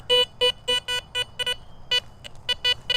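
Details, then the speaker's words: Garrett Vortex VX9 in standard multi-frequency, bottle cap reject at 2, over a suspected iron target reading around 52–55: clean beeps at first, then choppy blip-and-bounce audio as sweep direction changes, indicating trash. "And you can hear already it's breaking up as I change my direction on it. I'm getting a little bit of blip and bounce there that tells me it's probably going to be trash."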